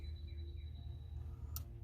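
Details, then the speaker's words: Bobcat 773 skid steer, brake solenoid replacement: with the lever activated and the bracket adjusted against the limit switch, a single sharp click over a low hum as the park brake limit switch releases. "Okay, I've got the lever activated, and I've loosened my adjustments bolts there, and I've pushed the switch this direction, pushed it this way until the limit switch was activated."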